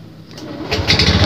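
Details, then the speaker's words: Honda Beat Street scooter, stuck and hard to start from dry oil (new battery fine, CKP sensor first suspected): brief starter whirr then catches and builds to a smooth rising run; cranks and starts fine. "sekarang udah bisa berarti udah real sepeda motor Ini masalahnya dari olinya yang kering"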